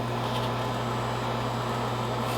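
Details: American Standard 90% gas furnace during a Testo 330 combustion analysis, start-up before ignition: a steady, even low hum from the draft inducer motor with no rattle, scrape or wobble; the inducer is running normally.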